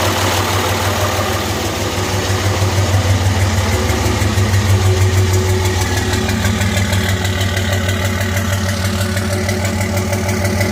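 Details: 2005 Cummins diesel with white smoke: idle with regular clatter and uneven lumpy beat about three per second; injectors had passed testing but #3 exhaust manifold ran hotter and injector #3 proved bad, misfiring.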